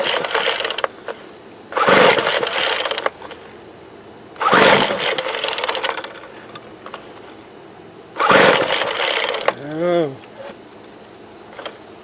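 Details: 2007 Sears Craftsman 25cc blower, stale fuel in tank and suspect spark plug: three pull-cord cranks with quick compression chuffing, never catches; cranks but won't start, cause suspected, not confirmed.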